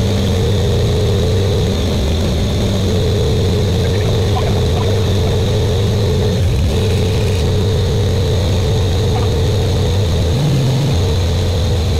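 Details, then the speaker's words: Buick Grand National freshly rebuilt engine, first start during cam break-in, run for 10 minutes, no thermostat: loud, steady raised-rpm drone, even and unchanging, no ticks or knocks; good oil pressure, temperature rising. "all right we're still breaking it in we got good we got good oil pressure temperatures starting to come up and that temperatures with no uh thermostat in"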